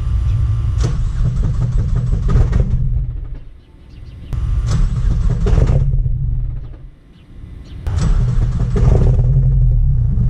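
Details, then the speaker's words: 400+ whp Mazdaspeed3 engine rumbling in three surges with a harsh metallic clutch rattle on top of each, sounding so bad it is shut off; the fix came down to six bolts. "As you can hear, it's rattling pretty bad, and yeah, I gotta shut this off because it just sounds horrible."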